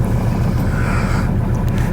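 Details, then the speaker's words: Ford Ranger diesel at cold idle with an uneven, stumbling low rumble and heavy vibration; one cylinder misfiring, tester shows one glow (heater) plug not working. "Hear that? It's missing in one cylinder."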